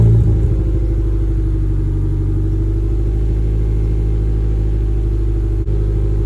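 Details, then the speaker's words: Mazda 3 four-cylinder cold start after new NGK spark plugs and breather filter, relearning idle: loud, deep, steady rumble at raised cold idle, even firing, no ticking or stumbling; healthy. "look at the engine I mean so far it's holding up pretty good just trying to relearn the idle again but a little early there looks good that's a good sign"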